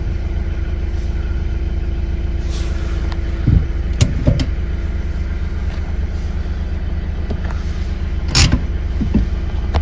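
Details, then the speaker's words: Hyundai i30 driving on a rough road after the repair under the steering column: steady low rumble and soft bumps, and the earlier steering knock is gone. "сказав що нічого не стукає тепер тиша на поганій дорозі коли їхати вже нічого в кермо не стукає"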